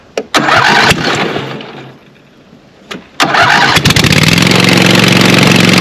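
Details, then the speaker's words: Scag Cheetah 61-inch mower with a swapped-in Craftsman 24 hp Briggs & Stratton twin replacing the Kawasaki: starter cranks, engine catches into a harsh, very loud raw idle; no muffler fitted, brutal exhaust leak; charging system not charging, regulator suspected. "and it is not but man I need to fix that exhaust leak that is that is brutal"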